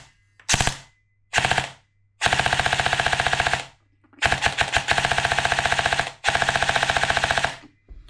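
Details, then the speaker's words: S&T M240B airsoft support gun gearbox after rebuild, tested on 7.4 V battery: several crisp bursts of fast, even cycling with clean start and stop each time; gearbox cycling normally. "So, that seems to be going all right, doesn't it?"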